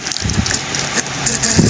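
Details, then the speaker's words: Clip fan switched on before repair, reported as noisy: an uneven rattling buzz with scratchy bursts over the whir as it spins up. Next step is taking it apart to find the source of the noise. "Ayun, maingay. Ngayon, siyempre kalasin na natin para malaman natin kung ano yung ingay niya."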